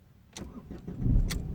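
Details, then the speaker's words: 2012 Ford Fiesta that threw an engine malfunction warning and stalled sporadically, now at the roadside: a short crank catches fast and settles into an even idle. It restarts fine, but the cause of the intermittent stall and no-start is not heard. "so if I if I crank it without turning the ignition on if I crank it you don't get anything nothing"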